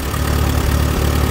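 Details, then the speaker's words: Allis Chalmers WD tractor baling hay in 100-degree heat, after correcting ignition timing that had caused popping and missing: low steady even thumping, no misfire or stumble, some wind noise; runs much better. "runs a lot better so i'm going to keep bailing hay"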